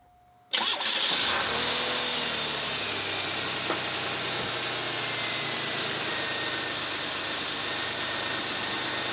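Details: 1991 Oldsmobile Ninety-Eight 3.8L 3800 V6 just after replacing the serpentine belt: catches quickly, settles into an even, steady idle with no belt squeal or chirp; belt is fine.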